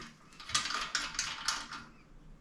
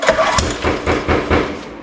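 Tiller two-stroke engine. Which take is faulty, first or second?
first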